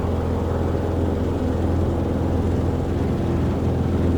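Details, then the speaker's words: Cessna 150 with Continental O-200-A engine, ground run after fixing takeoff power loss: full static run-up reaches 2600 RPM, steady even deep drone with no stumble, much smoother than before; normal full-power run-up. "Okay, full static. Okay, that's a lot smoother. Car beat off. I'm getting full 2600 RPM."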